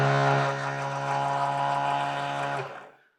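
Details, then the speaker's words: 1960s Aerokits Sea Nymph model boat, original motor (possibly Marx Monoperm) bench-tested on battery with temporary wiring, propeller in view: clean steady hum at constant pitch, then winds down smoothly. Normal motor run. "to check whether the motors going to have enough and I've just temporary tax those wires on there we focus in on the propeller there for a moment and hook the battery up to the motor"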